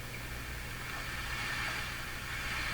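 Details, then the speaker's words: Hammarlund HQ-100A communications receiver during broadcast-band alignment, near the top of the band: constant hiss over a low steady hum, no tuning whistle; real background noise, possibly house interference or higher sensitivity there. "It's real stuff. What it is, I don't know. Interference from the house, tuning effect in the radio, so it's more sensitive right around here."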